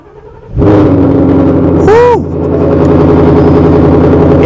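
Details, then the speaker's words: S550 Ford Mustang Coyote V8 with headers, recorded in the garage: first start in over a week after a new Duralast battery. It catches crisply within a second into a loud, steady, even idle; the battery was the problem. "it started up like that in here and yeah it was definitely the battery"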